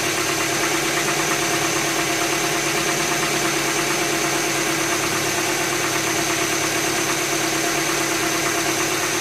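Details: 2007 Tucson 2.0 16v GLS, cold-start morning noise that goes away after about 10 km: fast, fairly even light ticking about three per second over the idle; top-end tick, mechanic suspects lifters (tuchos), unconfirmed.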